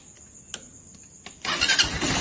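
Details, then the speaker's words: TMX Supremo 150 motorcycle whose tank filled with rainwater, previously hard-starting and dying on throttle after piston cleaning: light clicks, then catches at once and runs steady; now starts easily after carburetor fix. "Okay so madali na siyang paandarin mga parekoy so Subukan natin siyang i- accelerate"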